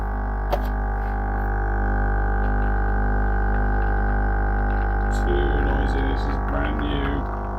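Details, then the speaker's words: Lavazza Tiny coffee machine brewing, sold as quiet: loud steady low buzzing pump drone, rougher near end, from the machine body; cork underneath didn't help, owner suspects this unit is faulty. "Tiny, amado mio, which was advertised by Which magazine as being quiet, and it's anything but. That is just horrendous. That noise."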